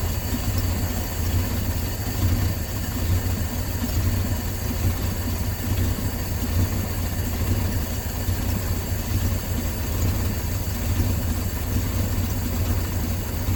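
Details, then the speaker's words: 1968 Dodge C600 V8 shop truck, back running after nearly a year, timing light tachometer on a plug lead reading about 420 rpm; deep, slow, even rumble, smooth very low idle during carburetor idle-mixture screw adjustment. "alright there's our rpm sitting about 4 or 10 for 20"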